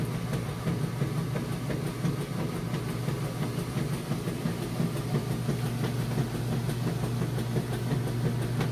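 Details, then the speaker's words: Maytag Centennial heavy-duty Super Capacity Plus washer, warm super load full of jeans: steady low hum with even back-and-forth churning, about three strokes a second, no banging or scraping; agitation is normal, level and balanced. "well there goes to agitate so it sounds great what's going on if this guy back-and-forth bringing those clothes down and back up getting them real clean for you see it sounds good it's nice and level and balanced"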